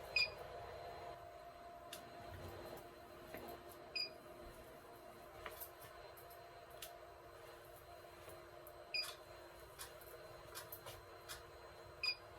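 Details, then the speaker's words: Redline embroidery machine (previous model, 8" vertical screen): sharp isolated clicks, three per attempt, as it cycles hunting for the needle position sensor and fails to detect it, triggering error EC20; needle stays down. "you can hear 3 clicks. Click, click, click. When it's trying to find the sensor, it's not, the machine cannot recognize the sensor, and immediately the EC20 will pop up."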